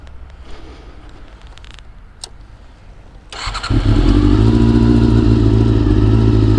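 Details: Honda CBR400RR (NC29) after swapping in a CBR600F fuel pump to cure pump noise: silence until the engine fires, then smooth even idle with no pump whine or buzz; healthy.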